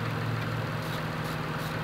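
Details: Toyota Highlander idling after the misfire followed the moved ignition coil to cylinder 6 (P0306, flashing check engine light): an even, steady idle hum with no shake or stumble; normal idle.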